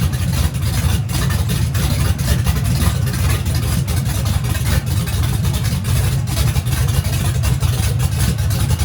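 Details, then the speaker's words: Turbo engine on methanol, first fire-up after teardown, started with starting fluid after suspected lost fuel prime, turbo hot side not yet fitted: big engine rumbling at a fast fairly even beat with no misses or knocks; running fine. "So it seems to crank up, fire in the hole. We're good to go."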